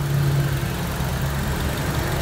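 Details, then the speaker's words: Honda CR-V Gen3 engine idling after blow-by treatment (revved to 3,000 then snapped to 4,000–5,000 rpm and released) and engine teardown: very smooth steady idle, only light injector ticking now audible; normal idle. "ini sudah selesai kita dengarkan suara mesinnya yang kedengaran hanya suara injektor saja suara mesin sangat halus injektor yang tadinya tertutup suara mesin sekarang jadi dominan"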